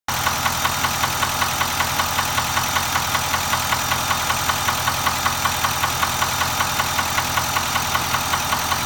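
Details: Nissan Titan XD at 13k miles: crisp, rapid ticking at a perfectly even beat over a steady idle; engine knock at idle, source not yet pinned down.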